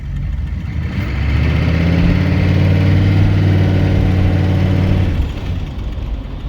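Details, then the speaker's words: 1978 Chevy Malibu with swapped 6.2 L diesel, HX35 turbo (wastegate plugged), Turbo 400, 3-inch straight pipes, accelerating: rumble builds and holds about four seconds then eases, pulling cleanly with no rattle or flutter; normal turbo spool. "spools up real nice"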